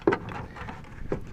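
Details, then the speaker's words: VW B4 Passat rear seat belt retractor held and shaken with belt under tension: two short light rattles of the inertia-lock check ball moving freely, normal, identifying which side cover to remove. "and shake it, you can actually hear that little check ball rattling around."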